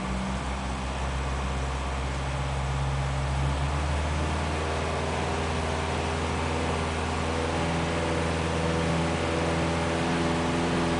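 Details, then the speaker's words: Ford Pinto engine, revved to about 2,500 rpm: low throbbing pulse and heavy resonant vibration shaking the whole car and bonnet, which had smashed the flex plate and loosened exhaust bolts; caused by a loose alternator bracket/mounting. "as you can hear it by the whole car is now shaking look at the bonnet and then you'll hear about two and a half thousand revs for a real shaky"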